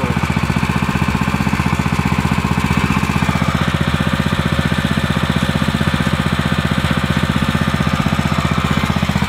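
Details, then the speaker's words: New YA-OKE WP 30 petrol irrigation water pump, 7.0 HP single-cylinder engine, first test run after unboxing, fresh petrol and oil: steady even putter at constant fast idle, no knocks or misses; runs normally. "nah jadi itu sudah di testing ya mesinnya nyala dan suaranya juga"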